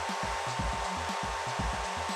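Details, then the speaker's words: Lathe motor on a new IEK Control A310 220V single-phase 2.2 kW VFD, vector-mode autotune run unloaded at idle: short stepped hums and clicks in bursts over a steady high tone; normal self-tuning, completes successfully. "сам по себе, то есть без моего участия. Слышите, щелкает в двигателе. Все, настроился."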